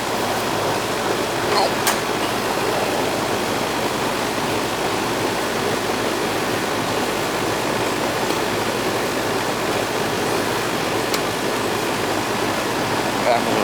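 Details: Old Goodman outdoor AC unit, compressor previously not running, after replacing a weak capacitor: steady, even fan rush over a smooth compressor hum, no clicking or labouring, with warm air coming out; running normally.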